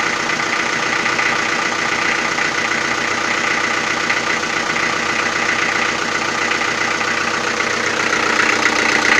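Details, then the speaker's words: Toyota 4B diesel knocking after injection pump repair (plunger pair and nozzle replaced), timing adjustment not fixing it, cold idle: harsh rattly clatter about three knocks a second; cause unknown. "так сейчас заведу машину штук будет сильный пока свечи накаливания маленько не подаст минут потом чуть послабее а когда обороты упадут прогревочные штук будет немного слышала"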